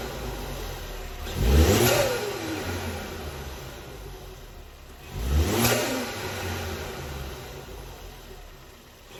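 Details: Ford Focus ST Mk3 estate engine revved during restoration: two clean throttle blips rising sharply and falling back to a smooth, even idle, lots of chatter; sounds healthy, normal revving.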